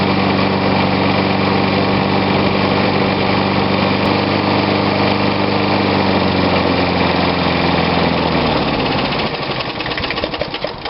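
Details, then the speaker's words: Old Snapper push mower, Briggs & Stratton engine dated Dec 1987, compression about 55 psi, some crankcase smoke/blow-by: single-cylinder runs steady but a bit ragged at raised throttle, then winds down; low compression, worn engine. "okay now we're getting about 55 pounds or so and that's close"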